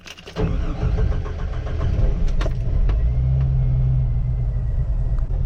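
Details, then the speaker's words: Jeep Wrangler TJ petrol six, warm after a drive of about 5 to 8 miles, idling with a deep, uneven, lumpy pulse; it still runs rough after cooling the fuel rail and injectors with a blower, which rules out suspected vapor lock; fuel pressure is checked next. "See if anything changes as we use the blower. It's still running terribly rough. After using that blower on everything, we still got a rough idle here."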